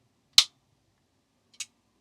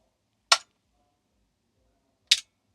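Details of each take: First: Transformer soft-start circuit with NTC thermistor and relay bypass, 12 V supply: one sharp click then a softer click a second and a quarter later, no chatter; relay switches cleanly. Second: Homemade soft-start circuit for a 1 kVA isolation transformer (NTC thermistor with relay bypass, RC delay meant to be 1 second), mic near the relay: two sharp clicks right after each switch-on; the relay pulls in without the intended delay.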